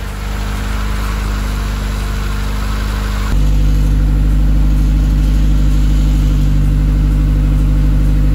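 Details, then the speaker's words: Mazda VVL engine after repair work, near operating temperature: an even, steady idle that steps up slightly, with no knocks or ticks. The earlier noise is gone and the engine is quiet and healthy. "okay so the sound's gone it look like we in business very glad to hear that the engine's nice and quiet very very glad for that"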